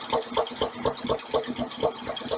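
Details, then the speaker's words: 1953 Packard Clipper Deluxe engine idling after an intake valve check: smooth, even idle with a steady pulse about four times a second and no valve tick; all intakes are good. "And there's no annoying ticking noise, so I'd say all the intakes are good."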